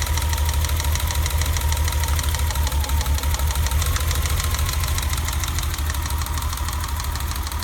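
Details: BMW E30 at idle after a new distributor cap and rotor: an uneven, lumpy low thud of about three beats a second with a stumbling rhythm. The misfire persists.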